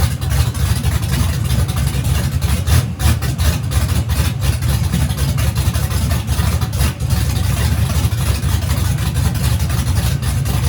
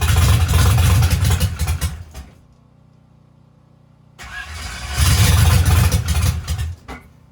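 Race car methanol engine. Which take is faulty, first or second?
second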